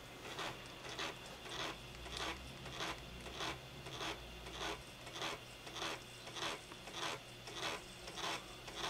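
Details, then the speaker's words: IBM 5155 Portable PC 360K 5.25-inch floppy drive trying to format a bad disk: even rasping scrapes about a hundred a minute, repeating as the format retries; bad media, not the drive. "well that one's that one's trying to format but it's having trouble it's just uh a bad disc there just retrying the format"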